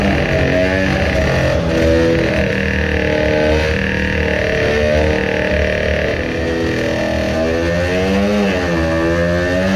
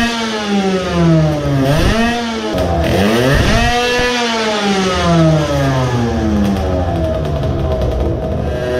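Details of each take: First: Modified two-stroke moped on a brake dyno with load-cell power run, new intake manifold; buzzes hard under load with wavering, surging revs and rattle as cylinder breaks loose, bouncing a few millimetres; aluminium spacer plate probably failed; fuel leaking afterward. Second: Modified moped two-stroke with a ported block and a larger carburetor on a dyno, after the carb needle was returned to its standard position. Revs rise and fall cleanly at part throttle with less sputtering, but power did not rise: about 7.3 when hot, and the choke made no difference.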